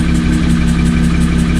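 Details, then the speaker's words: Car idling after a track day with the intake checked, one cam position sensor swapped and the tune reloaded; steady idle with faint periodic ticking and a small recurring lift in speed, an irregular idle surge, cause unconfirmed (owner suspects valves staying open). "it sounds like something's off and i even reloaded the tune that i was sent to see if maybe that was the reasoning why this was happening and obviously that's not the case"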